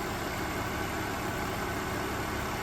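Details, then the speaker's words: BMW E46 325Ci manual that sat for a year or two, instrument cluster not working: starts right up and idles with a smooth, steady hum, no misses, ticks or hunting. Normal idle. "so it starts right up all right you can't see and the cluster doesn't work but that'll be fixed but yeah it just runs so smooth it is insane how smooth this engine is"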